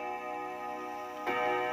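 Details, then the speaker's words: 1936 Junghans W64 five-rod chiming clock, probably never renovated, striking seven after the chime: clear ringing chime tones, then a gong strike lands cleanly at steady pitch; strike train normal. "4 5 7 bener ya 7 ya jadi bunyi gongnya 7 kali"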